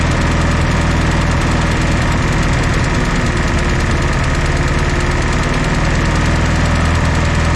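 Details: 1964 Jeep CJ5 barn find, previously seized engine, just revived: loose, lumpy low putter at idle with fairly steady beat after the fourth cylinder kicked in; smoky, running reasonably smooth.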